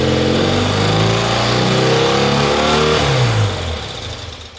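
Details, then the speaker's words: BMW R90/6 boxer twin running after valve clearance adjustment and oil filter change: loud fast "sewing machine" ticking clatter easing as revs drop, unchanged by the work; suspected bottom-end problem. "mon opinion c'est que c'est un échec sur toute la ligne ça fait toujours autant de bruit et effectivement le bruit qui semblait être vraiment côté culasse avec ces ces ces culburs qui bougeaient beaucoup là"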